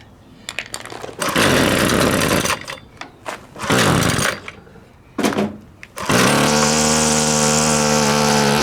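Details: Husqvarna two-stroke string trimmer before repair, choke just taken off: revs surge and sag in uneven bursts, then hold a rough steady scream. Taking the choke off kills it from too much air. Owner suspects the carburetor diaphragms need cleaning or replacement.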